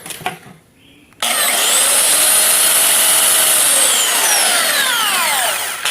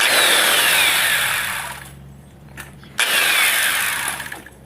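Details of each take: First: Brand-new belt sander after cleaning and re-shimming the fan/venturi so it no longer touches: spins up to a smooth, high motor whine with no scraping or rubbing, normal running. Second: Makita belt sander that fell about 1.5 m runs with a raspy, scraping hiss, winds down, then restarts; something rubs inside, found to be the fan rubbing the housing.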